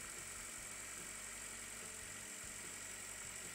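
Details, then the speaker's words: Ravon R2 / Chevrolet Spark M300 with B12D2 engine, first start after tuned camshafts were installed and valves adjusted, before the matching firmware is flashed. It settles into a steady, even idle with no extraneous noises. "Запускаем мотор. Первый пуск. Посмотрим, какой у нас работает моторчик. мотор работает ровно."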